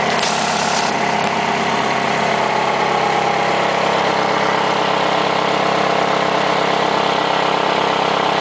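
Steady idle with a fast regular tapping, about two hundred a minute, riding over the engine; something is ticking, cause not yet pinned down.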